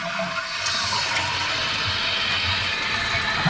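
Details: Running toilet after bending float down to stop water trickling into the overflow: strong rushing flush drains the bowl, then steady refill without trickling hiss; operating normally.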